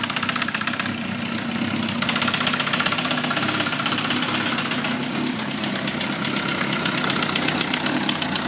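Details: Suzuki GSXR 1000, 33,000 miles, no FI code, 175-180 psi compression all cylinders, leakdown negative, idling with light fast metallic ticking about four taps a second, intermittent, loudest at the head; owner suspects valve train. Cause suspected, not confirmed.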